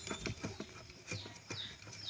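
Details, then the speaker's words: Spin dryer motor turned by hand gives dry, gritty scratching and ticking in uneven bursts: a badly worn, rusty bearing, rusted by water leaking down from the dryer. "É um rolamento que está enferrujado. Escuta aí, pessoal. Um rolamento enferrujado."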